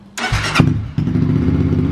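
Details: Twister 250 single-cylinder with restored Fortuna sport exhaust, muffler repacked tightly with glass wool: brief starter whirr, then a deep, muffled, even idle from the exhaust after the repack.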